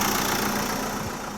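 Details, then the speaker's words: Chausson motorhome engine ticking over at a smooth, steady idle with no misses or knocks, left running longer after a jump start from a flat engine battery that sat since January. Normal idle. "I'll just leave this engine running for a bit longer and then we'll come down tomorrow morning."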